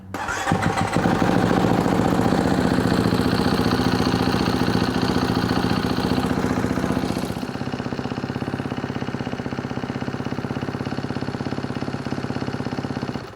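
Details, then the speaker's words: 2022 Kawasaki KX250F cold start after valve adjustment, fuel pump primed first: fires almost instantly, crisp high idle for several seconds, then settles to an even steady beat; normal cold start. "Gonna Bump the throttle or the button to hit the get the fuel pump to Prime there we go do it one more time all right here we go fired up quick let's see"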